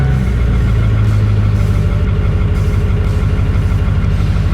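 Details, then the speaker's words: BMW with a blown head gasket, started after sitting a few weeks, not cold out: engine catches and holds a deep, slightly lumpy idle with an uneven pulse; blown head gasket. "say it starts up pretty good for a blown head gasket the Beast the Beast"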